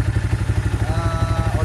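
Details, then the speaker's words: Yamaha Vixion motorcycle at idle, rider reports rough engine sound, oil level normal: steady idle with rough, dull knocking patter under exhaust beat; mechanic attributes it to piston-to-cylinder clearance, block and piston to be replaced; piston slap. "jadi yang perlu kita ganti apanya itu kalau suara kasar kalau bagian suara mesinnya kasar kali yang perlu diganti adalah blok sama peston blok sama peston"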